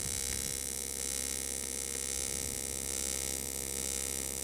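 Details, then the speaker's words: Eastwood TIG 200 AC/DC welder on aluminum, filler rod added while the foot pedal is pumped to control heat and avoid blow-through: steady buzzing hiss whose intensity rises and falls with amperage changes; a normal, stable AC arc. "and I am pumping the pedal a little bit um that's to kind of keep my heat in check with aluminum being such a heat sink I definitely want to make sure that the piece doesn't get too hot and we don't blow through so I'm just kind of going along and that's why you hear that amperage the uh the sound is kind of changing"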